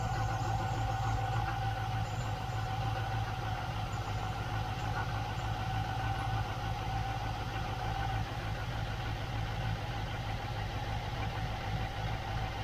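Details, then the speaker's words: 1972 Range Rover A Suffix V8 at idle after rocker work, oil confirmed flowing to the rockers: steady low burble with the earlier tappet tapping gone, valvetrain quiet; normal idle. "well there's a weird thing the tapping's gone away"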